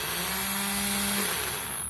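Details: Yamaha Mio scooter starter motor with a heavy-starting complaint, after reassembly with the housing marks aligned: quick, clean whirr spinning freely and winding down smoothly with no drag or grinding; starter healthy.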